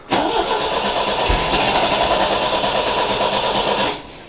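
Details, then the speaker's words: MGB 1800cc engine, last run a few years ago, with what looks like a choke conversion: steady fast starter churn for about four seconds with no catch. Cranks but won't start; owner suspects an airlock in the fuel line. "i think there's like an air an airlock somewhere in the fuel line"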